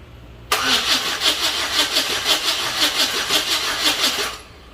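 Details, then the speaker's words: Chevy S-10 donor truck with bad spider injector, no fuel pump heard: steady starter cranking about three beats a second for four seconds, getting spark but never firing; crank, no start. "Well, still not starting. Getting fire and not starting."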